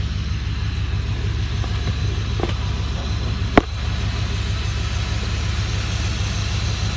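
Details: 2003 Dodge Ram 1500 5.7L Hemi 4x4 started after radiator replacement, around 20°F in December, checking for leaks: low, even rumble at steady idle with no knocks or misses; the V8 runs smooth and healthy.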